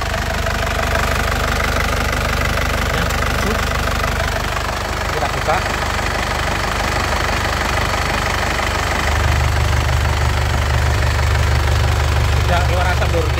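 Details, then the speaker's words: Isuzu Panther LS Turbo diesel, late 2007, about 103,000 km: steady crisp diesel clatter at idle, not limping or shaking, rising evenly when revved with no misses or knocks; engine judged truly healthy. Normal. "jadi Insyaallah tidak ada mobusnya mesinnya benar-benar sehat Lur Insyaallah tidak kecewa"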